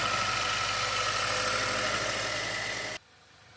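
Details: 2016 Range Rover Discovery 2.0-litre after repair for timing trouble codes, coils reconnected and codes cleared: smooth, even idle with light regular tick about three times a second, then shuts off; engine sounds healthy.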